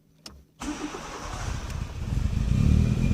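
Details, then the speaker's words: Nissan Primera P10 1.6L GA16DS carbureted (Hitachi carb), cold start: won't start without throttle, catches and keeps running only with throttle held; runs fine warm; damaged carburetor valve admitting air at cold start, not the autochoke. "you see that i giving race and when i um i don't give the engines turn off so this is the problem"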